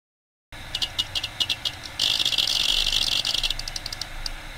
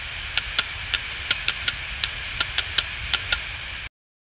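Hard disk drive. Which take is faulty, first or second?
second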